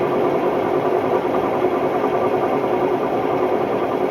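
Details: Hotpoint Ultima WMD960 washing machine, recently acquired, test spin: loud harsh rumbling roar, steady with a rough droning edge; worn drum bearings.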